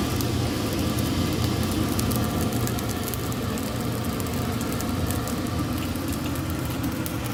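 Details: Gentleman Janitor GJ-5 coal stoker boiler test-fired on rice-sized coal: steady low roar of blower and fire, even and unbroken with no knocks or surging; stoker firing normally.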